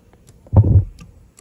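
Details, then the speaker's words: Honda CRF450RL with a no-start: at key-on, listening close to the fuel tank, the relay clicks and thumps but no fuel pump whirr follows; the pump gets no power because of a broken pump wire connector. "so we'll turn that on and we'll get close down here and we don't hear a single thing at all nothing down here"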